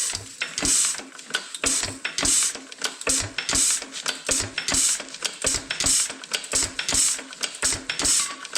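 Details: Roughly 100-year-old 2.5HP Alpha DeLaval hit-and-miss engine with Wico EK magneto and original spark plug, once used to run a milking vacuum pump, started choked and retarded with the oiler on: sharp pops with mechanical clatter about once a second, unevenly spaced; running normally.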